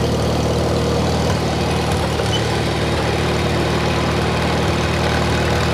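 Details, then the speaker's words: 1953 Farmall Cub, no muffler, just started after sitting two years, throttle raised: uneven, slightly lumpy idle with low throb that won't settle, struggling for gas; owner thinks it just needs to warm up and run. "struggling for gas a little bit let me uh see"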